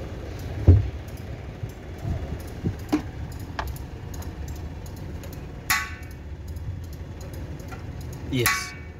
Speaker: As you can hear, it is producing a clicking sound. So that one tells you that this solenoid valve, it is opening.